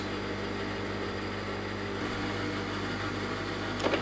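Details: Hydraulic pump of a Jones & Shipman 540 surface grinder, first start after about 18 months of sitting unused: a steady low hum with an even tone that settles slightly after a couple of seconds. It probably needs a few seconds to build pressure; normal running.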